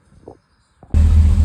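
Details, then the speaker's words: Chevy Van after power steering pump replacement, with ATF added and air being bled from the system: engine starts and settles into a steady, even idle; no leaks found. "No leakages up here. She's running golden."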